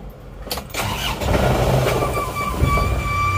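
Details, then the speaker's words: Isuzu Panther Turbo diesel, after a runaway caused by overheating that scored two liners and raised blow-by: it cranks with a labouring rhythmic rumble but does not start, because the air filter has been reversed to seal off the intake as a demonstration. "nah ini coba kita akan menyalakan mesin ini dengan kondisi di filter di balik Apakah mesin bisa nyala atau enggak kita akan membuktikannya"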